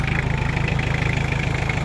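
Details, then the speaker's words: Toyota Tamaraw FX, Toyota 2C diesel, after repair of misfire and hard starting; previously died when loaded: steady, even low clatter with smooth regular pulse, no misses or knocks; normal diesel idle. "Yan, so okay na mga kaibi. Thanks God, thanks"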